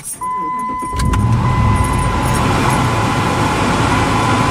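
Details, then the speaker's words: 2005 Dodge Ram 2500 after dual-zone climate control conversion, after plugging openings air had been whistling through (owner first suspected the HVAC box). After a brief chime, steady even rush of air in the cab with no whistle: normal blower operation. "no more whistling noise."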